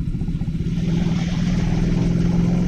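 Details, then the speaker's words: Suzuki Satria F150 exhaust after the middle pipe joint was welded permanently: quick, even single-cylinder putter rising slightly with throttle. The earlier vibrating buzz and rattle from the joint is gone; normal exhaust. "sekarang soalnya udah nggak ada suara bergetar getar dari PR sambungkan pipa knalpot bagian tengah"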